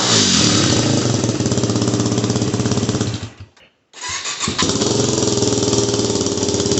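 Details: Yamaha WR250R with Honda CRF230F muffler repacked (new fiberglass, stainless screen, RTV sealed), cold start: crisp even single-cylinder thumping, brief cut-out and restart, then steady idle; owner thinks it sounds a little better.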